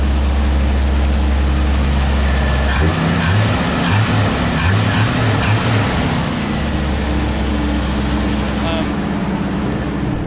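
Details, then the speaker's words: Squarebody Chevy truck after fixing an obvious exhaust leak, idle slightly high while warming, power steering screaming: steady deep idle with no puffing or ticking from the manifold; exhaust sounds sealed. "So I don't hear an exhaust leak. It was very obvious before."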